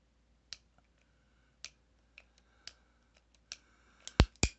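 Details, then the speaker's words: Heritage Rough Rider Black Widow revolver after three-month factory repair: sharp, irregularly spaced metallic clicks ending in two loud clunks as hammer is cocked; action still binds, slightly improving but clunky. "there's like a clunk right there i don't know if you can see it or not you might even hear it it's like a clunk"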